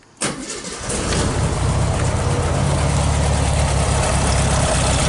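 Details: 1969 Volkswagen Beetle 1500cc air-cooled, cold start on the third try needing a bit of choke: engine catches suddenly, surges, then settles into a steady, slightly uneven idle.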